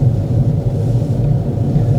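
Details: Manual car pulling smoothly in second gear at about 2,000 rpm and roughly 20 mph after a first-to-second shift at 2,000 rpm; steady, even low engine drone with no knocks or slipping, normal acceleration.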